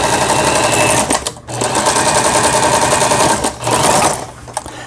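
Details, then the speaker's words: Elna EL2000 sewing machine after repair of seized feed shaft unit and feed dogs: quick even stitching, about four stitches a second, brief pauses, no knocking or grinding; stitch patterns sewing smoothly. "보시는 것처럼 각종 기능들 정상적으로 박음질이 되고 나오고 있습니다."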